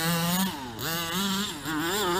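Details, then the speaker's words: King Motors 1/5-scale RTR two-stroke RC: high buzzy note sags and stumbles on throttle, then recovers; bogging hesitation, attributed to running low on fuel. "i don't like that hesitation whoa see you hear it doing that bogging"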